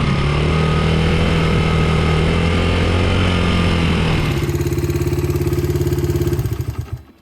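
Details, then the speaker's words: Honda XR80R dirt bike, 80cc, GoPro strapped to side, riding on lawn: idles fine but at half throttle and above the engine revs then drops into slow uneven pulses and dies, bogging from an undersized carburetor main jet; fixed with correct Honda main jet. "So the bike is fine and idle's okay. It's just when you give it throttle, and I mean sort of half throttle and more, it just falls on its face."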